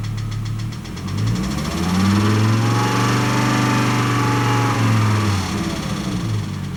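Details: 1998 Volvo S70 T5, first suspected as ticking: the engine revs up and settles with a steady knock running through it, which turned out to be rod knock.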